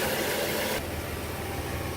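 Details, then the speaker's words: 2001 Chrysler Town & Country wheelchair van, 3.3 V6, 201k miles, new battery, hood open, no leaks or smoke. A short, even idle hum with a steady low note and no knocks or misses: normal idle. "So let's pop the hood so you can listen to it run. Underneath the hood has a 3.3 V6. It idles smoothly. Engine sounds good."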